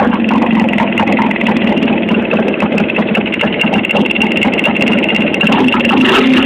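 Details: Motorcycle idling with fast, irregular light tapping and rustle from low in the engine, rustle quickening with revs and quieting at higher revs; starts fairly well, especially cold; owner unsure. Engine knock at idle.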